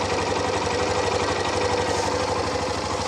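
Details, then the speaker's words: Hero Xtreme 125R single-cylinder motorcycle, exactly one year old, nearly 16,000 km: a steady putter with no knock or rattle, a touch rougher than new. Owner notes the sound has changed slightly with servicing and may now lack some of its original sweetness. Normal idle. "यस्तो आवाज छ जुन सुरुमा जुन मिठो आवाज आउँछ त्यो चाहिँ अलिकति ल्याक भएको हो कि जस्तो पनि हुन्छ"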